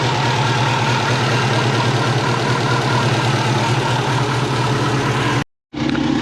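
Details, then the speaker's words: Subaru Forester turbo after auto-to-6-speed manual swap, exhaust resealed to stop boost leaks, tune not yet adjusted, 40° hot day: steady, even idle with smooth low drone, no puffing or ticking; exhaust sounds sealed; normal idle. "hopefully she's quiting down quite a bit from doing the exhaust a little bit doesn't sound like there's an exhaust like"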